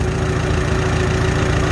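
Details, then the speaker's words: Farmall H tractor after carburetor adjustment, running on non-ethanol gas, back at about 450 rpm idle: slow, even low thumping with no ting or pinging; healthy, steady idle. "we go right back to idle right back to 450. just sounds great no ting ting ting none of that nonsense"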